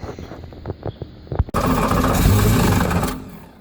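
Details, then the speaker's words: Volvo Penta 5.7 L boat engine with a no-start, new spark plugs fitted, starting fluid sprayed in: cranking clicks, then it catches and roars about a second and a half before dying; it fires only on starting fluid. "I was dumping this starting fluid as fast as it'll go it'll start that's good that's real good"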